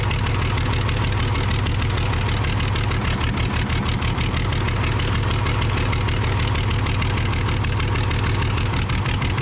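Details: Case 855D loader, 12-valve 5.9L Cummins, idling with injector lines cracked open one at a time to find the dead cylinder: rough uneven chug, one cylinder not pulling; misfire from a faulty injector.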